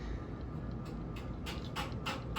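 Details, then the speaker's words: Homestead (Kontrust) Geneva ceiling fan on high speed: a low hum with a rattling knock about three times a second from heavy wobble. The owner suspects a slightly warped flywheel; the wobble is already starting at fifth speed. "I think this should be high holy frick that wobbles a lot"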